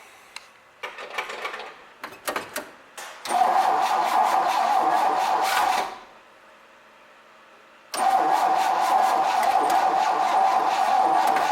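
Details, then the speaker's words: 1966 Chevrolet C20, Chevy 292 six, first start attempt with carb idle mixture screw 1.5 turns out: choppy cranking, catches, runs briefly, quits, fires again. Owner suspects distributor timing too far advanced. Hard starting. "Alright, I'm guessing my distributor is a little bit too far advanced. I've got it down snug, but I can turn it."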